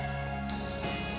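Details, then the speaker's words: B Medical L130 fridge with compressor running and condenser warm, no gas leak: a quiet hum, then the steady high-pitched high-temperature alarm buzzer sounds again as the cabinet reads 12 °C. "friends, you can see here it is came up to 12 degrees Celsius. Now buzzer again, alarm. It is alarm start again."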